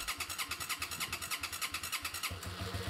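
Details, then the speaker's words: 2006 Hyosung GT650S V-twin motorcycle, starting after carburetor cleaning, with the carbs still filling with fuel: lopey, uneven chuffing while running on one cylinder before the second cylinder catches. It previously wouldn't rev above 5,000 rpm, with the front exhaust header staying cold. "केवल 1 cylinder पर चल रहा है अब यह दूसरा cylinder है"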